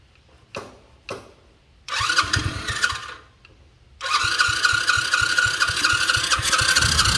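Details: Motorcycle that won't start, with fuel suspected not to be flowing to the carburetor: a few clicks, a short burst of cranking, then longer steady churning at about three pulses a second without catching.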